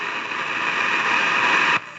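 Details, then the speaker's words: 1953 Crosley AA5 tube radio under restoration: constant hiss and crackle with no station, then drops away; noise first blamed on transformers or silver mica, traced to a faulty tube, which was replaced. "all that noise I thought was the eye of transformers was actually of a tube so I've replaced the tube with anot"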